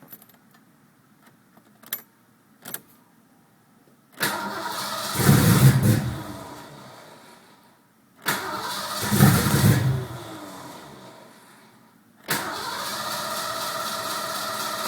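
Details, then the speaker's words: Mustang 5.0 with a newly replaced distributor, ignition control module and negative battery cable: two cranking bursts of about four seconds each fail to fire, then it catches and idles. The tach drops oddly, as if from a large voltage drop. "then something totally different there it goes starts to act funny down to nothing very weird it's almost like there's a huge voltage drop the way it just drops down like that"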